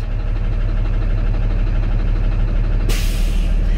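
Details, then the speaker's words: Manual Class A tractor-trailer doing the air brake test, throttle released past 125 psi: steady diesel idle, then a sharp air rush as the governor cuts out at 130 psi (limit 140). A normal purge and a good test. "that's by governor cut out my governor cut up at 130 psi this is a good test"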